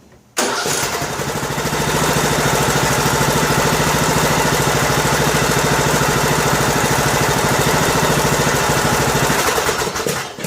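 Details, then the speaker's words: Husqvarna riding mower about two years old, 18.5 hp Briggs & Stratton Intech single, after camshaft and tappet replacement for broken compression release, choke on: catches at once and settles into an even steady beat; normal start and idle. "Alright, looks like we are successful. No more bad compression release."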